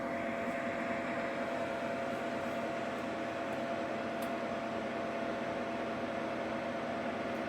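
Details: Ninja Foodi 8-in-1 running cold: steady loud whooshing hum with a thin high whistle held at one pitch; noisy running that becomes unbearable once heated, cause unclear.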